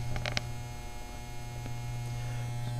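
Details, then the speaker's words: 12 V battery charger on 12 V 2 A setting after diode replacement cured loud humming, vibration and overheating: quiet steady low hum, no loud buzz or vibration, reading about 12 V; charger running normally. "it's not making that noise either if you could tell you notice it's not humming real loud or vibrating so that took care of it"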